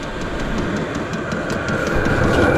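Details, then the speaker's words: Vevor 8 kW 12V diesel heater running outdoors at full output: loud, even air roar with a steady combustion rumble and faint high whine, no surging. Normal running at full power. "so I mean uh you know the the fan works really well and it's on 10"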